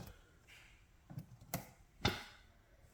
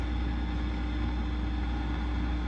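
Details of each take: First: Fender Rumble 25 bass amp after repair, with Deoxit on all pots and cleaning of ground and input jack: near silent with no hiss or hum even at full volume, just a small pop and clicks at startup. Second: Fender Rumble 25 bass amp with nothing plugged in and all controls down: steady low buzzing hum with faint hiss and crackle, fault not yet found.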